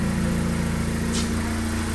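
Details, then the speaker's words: Turbo Honda Civic Si after diagnosis and fix (owner had suspected dirty MAF sensor/housing): smooth, even low idle with steady pulse, no stumble, surge or misfire; idling fine, computer still initializing before test drive. "Car started up, obviously. It's idling just fine now."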